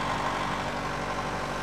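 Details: Nissan Primera at idle: faint, quick, regular tapping over the engine note; engine knock, source not yet pinned down, somewhere in the engine.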